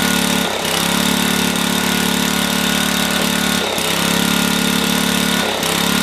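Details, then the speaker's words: Black & Decker generator with Briggs & Stratton 5HP engine: runs fast and buzzy, sags and recovers every second or two, hunting; governor found torn up, then reset. "something's definitely wrong. So there's definitely some messing around going on with this thing. That's for sure, because the governor was completely tore up."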